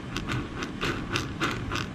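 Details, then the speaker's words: Losi 5ive-T 2.0 rear differential turned by hand after a thin shim/spacer was added behind the bearing to cure grinding: light, regular clicking about three times a second, gears meshing smoothly with no grinding; normal mesh. "so with the simple spacer right there very thin spacer that solved the problem so look at that okay"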